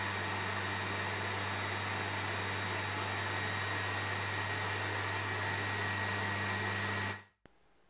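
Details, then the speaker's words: PS4 Pro CUH-7016B in the multiplayer menu, before cleaning. Cooling fan at full speed, about 60 dB, a loud constant airy roar with a low hum. Caused by dust and dried thermal paste; about 35 dB after cleaning and repasting. "now as soon as you enter the multiplayer menu the fan starts spinning super fast reaching up to 60 decibel it almost sounds like a jet engine listen"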